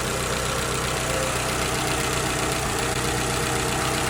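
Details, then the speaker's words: Petrol car with check engine light and P0303 cylinder 3 misfire, heard under the hood at idle: uneven, stumbling beat from a single cylinder misfiring. "my check engine light came on today, and the car felt like it's rough on idling, and I was thinking it's misfiring. So what I did was I popped off the hood and I listened to it, and it sounds like it's misfiring."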